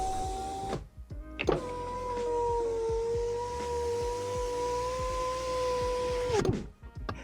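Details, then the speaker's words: 2011 Mercedes E-Class power window after window regulator replacement: the motor gives a smooth, steady hum for about five seconds with no grinding, clicking or catching; normal operation. "And for the final test, everything's working smoothly."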